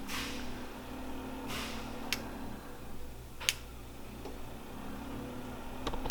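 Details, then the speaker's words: Automotive relay bench test with multimeter on pins 30 and 87, 12 volts applied across pins 85 and 86: crisp click as coil pulls in, then a quieter one; meter goes to about 0 ohms, relay switching normally. "Now when I connect the relay, putting 12 volts across pin 85 and 86, you'll hear the relay click and you'll see the meter go to 0 ohms, or close"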